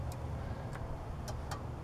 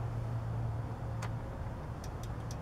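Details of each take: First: Riding lawn mower that won't start, troubleshooting the starter circuit: with the gear lever taken out of neutral, the safety switch gives sharp, separate clicks at uneven intervals over a low hum and the relay responds, so the switch works. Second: Riding lawn mower no-start with brake set, in neutral and blade disengaged: several light irregular clicks from the blade engagement switch over low rumble, no starter engagement. Cause not confirmed.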